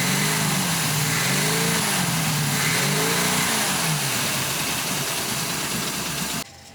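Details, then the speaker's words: 1990 Cobalt boat engine surging unevenly, rough and loaded up, smoking heavily from gross overfuelling; something hanging open held the secondary vacuum pull-off partly open. "this thing was just grossly overfueling that was my problem"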